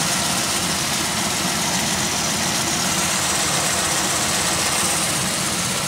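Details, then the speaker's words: 2001 Pontiac Aztek just revived after sitting since February, warming up: uneven idle with strong constant airy hiss; owner suspects a vacuum leak, possibly an unsealed rear PCV valve, not confirmed. "I do hear a slight kiss yeah it's there the it seems like it's a vacuum issue now now that I've got to run along enough"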